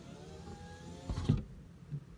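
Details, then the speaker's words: 2005 Honda Civic Hybrid driver-side power window: faint motor hum, then a dull thump and it stops short, binding inside the door; window won't go fully down, apparently from a deteriorating foam block pulling off the door panel and obstructing the glass. "driver side window not good now good before sounds like it's binding on something on the inside"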